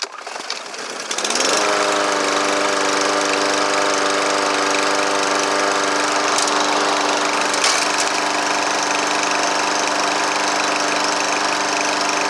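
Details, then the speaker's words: Troy-Bilt TB110 push mower, Briggs & Stratton 550EX, came in with no start; owner thought he had hit something and worked on the carburetor. It fires at once and holds a steady, even buzzing run, no popping or backfire; the carburetor/choke shaft is still to be fixed. "Alright guys, sorry about that. Seems to be running, so now we'll address the carburetor problem."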